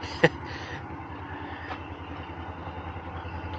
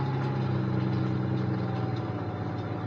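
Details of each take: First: Car at a salvage auction, suspected Northstar engine, just after startup: rough, uneven, lumpy idle misfiring hard; possible smoke questioned, with later ticking suspected as rod knock; misfire at idle. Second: Salvage-auction semi truck: steady, even low idle, no knocks or misses; runs very well, no warning lights except headlight error from smashed headlights.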